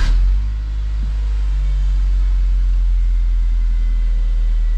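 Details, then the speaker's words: 2009 BMW E87 118i N46 with Valvetronic, after replacing the Valvetronic motor and eccentric shaft sensor for rough running, stalling and code 2851: smooth, even low idle with no misses or hunting after the start-up flare, a bit of oil smoke. "looks okay so far seems to be running fine making a bit of oil exhaust otherwise all good"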